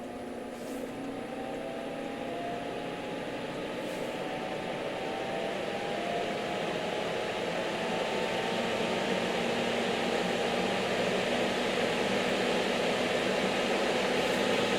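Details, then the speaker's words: NOEVSBIG solder fume extractor, a 120 V fan, turned up to maximum (3300 RPM): the whine climbs steadily in pitch and loudness, taking a couple of seconds to spool up because of its mass, with a smooth airy rush and no rattle. Healthy. "And that's the maximum right there. Or you can just turn it straight to high."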